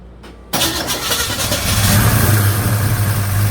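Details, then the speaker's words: Freshly rebuilt Chevy 307 V8 in a 1956 Chevy Bel Air with a new Holley 4150 Double Pumper carb, first start attempt. Starter grinds steadily after a click, but the engine never fires; valvetrain sounds loud, owner suspects valves lashed too tight or a lifter not pumped up. "I mean, it's not backlashing, but it's just not it's not kicking. It should fire right up."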